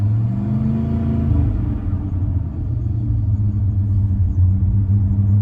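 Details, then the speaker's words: Engine just refitted with an exhaust manifold and crossover pipe. The deep, steady idle turns rougher as it warms up. Cause not pinned down; owner suspects it simply hasn't been run much. Rough idle when warm. "she's running a little bit rougher it's starting to warm up it's running a little rougher i'm starting to think maybe it's because it hasn't been run that much"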